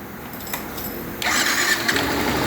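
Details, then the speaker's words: Yamaha Fazer 150: starter catches, engine fires, then a thin high turbine-like whine over idle; burnt stator, not internal engine damage, confirmed as the noise stops when the stator is disconnected. "problema dessa moto aqui tá no estator queimado aí ela dá um barulho aqui parecendo uma turbina"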